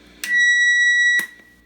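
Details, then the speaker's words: Sears Silvertone Twin Twelve 1484 tube amp during restoration, probed with a signal tracer at the grid: steady high-pitched feedback-like whistle that switches on and off as the reverb tank is switched; oscillation traced to the reverb tank. "was me turning the switch on and off on the reverb tank so it's definitely the reverb tank"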